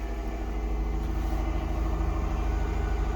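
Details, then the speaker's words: 2009 Dodge Journey on its first start after spark plug and coil replacement idles with a low, steady rumble and even pulse, with nothing rattling or knocking; normal idle. "So, not looking too bad here. Like I said, this poor old car's had kind of a rough life."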